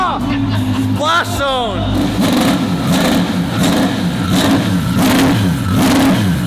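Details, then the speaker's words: Twin-turbo V12 Ferrari on its first shakedown, wheels just fitted, rev-limited below 4,000 rpm for now: a brief rev settles into a deep, smooth, even V12 hum at idle, no knocks or misses; normal idle. "at idle it sounds like sounds really cool at idle it's got that V12 hum to it"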